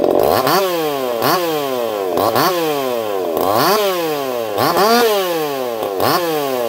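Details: Echo CS-4910 chainsaw with experimental taper-top piston/crank swap, about 6 degrees advance, test cuts: screams up and bogs into each cut about once a second, recovering crisply, no popping or four-stroking; runs a little warm, about 180 psi cold, 170 warm; normal running under load.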